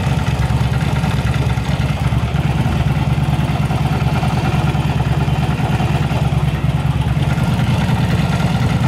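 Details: Yamaha V-Star 1100 Classic V-twin with carburetors, repaired for backfire and spark plug flooding, traced to a rotten pipe. Even, loping idle with a steady low thump, both cylinders firing, no misses or popping. Normal idle.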